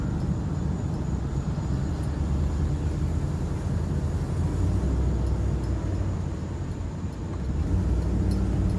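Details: 2005 Dodge Ram 1500 4x4 cruising after replacing its noisy rear axle (suspected pinion) with a salvage-yard 2003 axle from a collision truck. Steady low road rumble, no whine or clunk from the rear axle. Normal rear differential.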